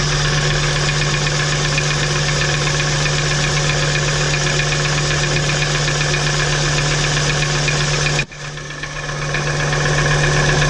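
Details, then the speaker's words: VW T4 2.5 AAF engine: regular hard tapping knock at idle following engine speed, unchanged after unplugging each ignition suppressor; revs well, fine above 3000 rpm, heard better under load; source still unknown. "Ah, ça cogne toujours, hein. Sinon on entend qu'il prend très bien les tours et au-dessus de 3000 il n'y a aucun problème."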